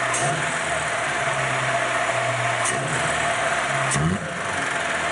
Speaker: See, it looks a lot different than it did before when you pull it up that throttle angle, doesn't it? And it's not stumbling anymore.